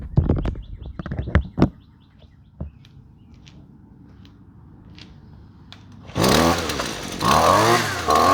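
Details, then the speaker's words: Husqvarna two-stroke trimmer after fitting the correct spark plug, since a wrong plug stops it running. Fires at once and revs up and down crisply without bogging: normal running. "runs just fine runs the way that it should"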